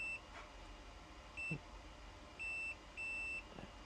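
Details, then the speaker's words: PS5 Digital EDM-030 motherboard that only beeps with no power, capacitor checked with multimeter continuity: high steady tester beep in short bursts each time it is probed to ground; shorted capacitor. "And [snorts] it shouldn't be beep beep beep beep. I already removed the two on the other side. This is beeping."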